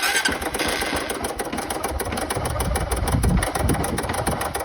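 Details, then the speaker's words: Honda Titan 150 2008 single-cylinder engine at idle: a fast, regular metallic knock resembling connecting rod knock, found to be a worn-out cam chain tensioner. "Tensor, meu filho. O tensor tá acabado aqui de verdade."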